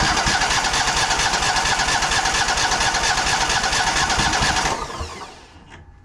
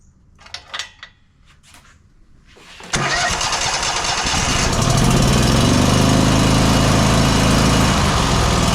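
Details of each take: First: Exmark 52" Pioneer S zero-turn mower (PNS720KC523), Kohler KT720 twin: fast even cranking for about five seconds that never catches while testing one side; one cylinder not firing, traced to a failing ignition coil. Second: Exmark 52" Pioneer S zero-turn mower (PNS720KC523), Kohler KT720 twin, after the ignition coil on the previously dead cylinder was reset; run with the other plug unplugged: catches, holds a steady even chug, then winds down; that cylinder now fires properly.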